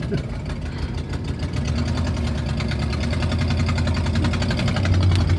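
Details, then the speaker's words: 1977 Ford motorhome, US-built gas engine, on a test drive: loud low rumble with fast puffing tick building under throttle, stopping when off the gas; exhaust manifold leak, no bearing noises heard. "the exhaust manifold's got a little leak so it's louder than normal you can see when you take off the gas it stops making the noise because there's less exhaust pressure"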